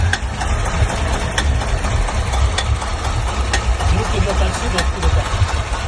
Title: Стук в двигателе, двигатель стучит